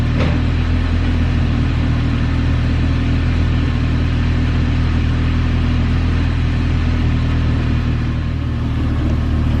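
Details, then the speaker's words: Right-hand-drive car after exhaust parts were installed as a temporary makeshift fix: a steady, even low rumble at idle with no puffing, ticking or chuffing, so no exhaust leaks are heard. "Alrighty guys, it does not sound too bad at all. Doesn't sound like there's no exhaust leaks or anything like that, so that little guinea rig piece will work temporarily."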